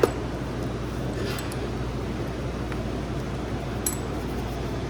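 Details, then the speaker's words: Commercial refrigeration prep table or reach-in running at 20 degrees: compressor and fan hum continue unbroken with the thermostat turned off, so either the thermostat is bad or a contactor is stuck, to be checked by ohming the thermostat. "looks like either the thermostat or we got a stuck contactor"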